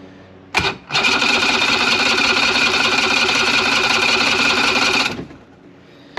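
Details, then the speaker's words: 70HP two-stroke Mercury outboard on a 1967 Duo boat, choked, before carb cleaning: about four seconds of fast, even cranking with no firing; primer bulb firm, plugged carburetors starving it of fuel. "does it not have spark it's not getting fuel through this pumpy thing"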